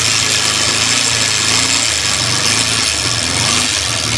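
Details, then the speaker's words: Bajaj Pulsar 150cc idling with a harsh, hissy metallic clatter over the engine beat; sound very bad, cause unknown. "लेकिन इसका sound का बात करें तो बहुत खराब आ रहा है।"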